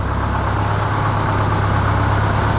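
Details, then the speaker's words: 1969 Hayes HD 6x6 with Detroit Diesel 8V71, first run after 14 years parked: deep, even diesel idle with steady low beat, no knocks or misses; one exhaust pipe quit smoking, smoke clearing, running smooth — normal idle. "That one pipe quit smoking, so that's good. Sounds like it's running real smooth, too."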